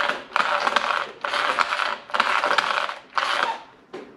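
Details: Arrma Granite 3S V3 BLX 4x4 RC truck after running in dirt: short bursts of gritty whirring with each throttle blip, ragged grinding over the motor whine; the stock plastic spur gear's teeth are stripped.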